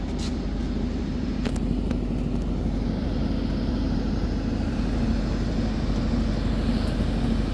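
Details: Candy tumble dryer after replacing a defective thermostat that stopped it heating, test run on cotton program, heater now warm: even, continuous tumbling rumble with soft steady hum, no scraping or squeal; dryer running normally.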